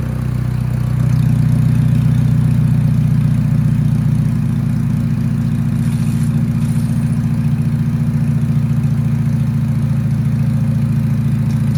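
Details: Budget drag-race beater car with a turbo being installed, run with a sensor plugged in just for testing: a low, lumpy idle with an uneven, stumbling beat and unsteady throb; it runs rough and the cause is unknown.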